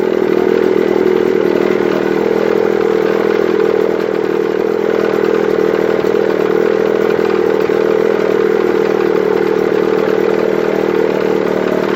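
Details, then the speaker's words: 1955 Mercury Mark 20H 16HP two-stroke racing outboard after fixing badly off ignition timing and a cracked number one plug boot: fast, even, crisp buzz at steady speed, no misses or stumbles; normal running. "but at this point i'd like to start it up for you and show you how nice it runs"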